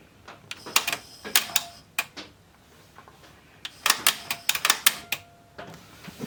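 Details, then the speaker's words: Pioneer CT-S405 cassette deck: irregular bursts of sharp mechanical clicks and clatter with quiet gaps; the tape mechanism is catching and jamming and won't operate. "like we got something [Applause] jamming up oh it won't do anything"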